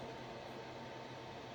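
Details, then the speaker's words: XY-FZ35 35W mini electronic load drawing 2 A at about 5 V, roughly 10 W: faint, steady whir with a thin constant tone and no ticking or grinding; small cooling fan running normally. "but anyway it's working it started already the fan it is more or less 10 watts it's it's nice"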